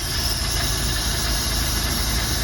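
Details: Mercruiser Thunderbolt V6 with Delco EST distributor upgrade, after setting base timing and disconnecting the set-timing connector for normal operation: steady, even low rumble with no misses or knocks; normal idle.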